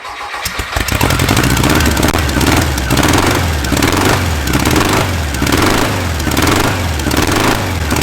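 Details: Air-cooled VW flat-four on a starter stand after resetting carb bypass and volume screws to 2.5 turns out: catches after brief crank, settles into steady even idle with gentle slow swell; runs healthy.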